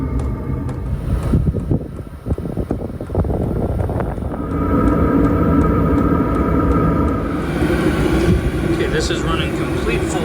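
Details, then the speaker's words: Diesel heater running on high after needing about three primes to start: even roar of fan and burner with steady ticking from the internal fuel pump and exhaust kicking up; running normally. "you can hear the pump you know constantly ticking away inside exhaust this guy's starting to kick up so get going pretty good here in a minute or two"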